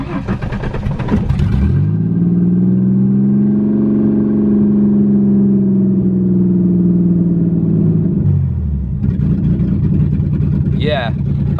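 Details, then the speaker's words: Ford Mustang engine with no O2 sensors, just flashed with its first custom tune clearing EGR settings; smooth steady note swells with a held rev, then settles evenly, no misses or knocks; runs noticeably better. "yeah she runs way better you can already hear it"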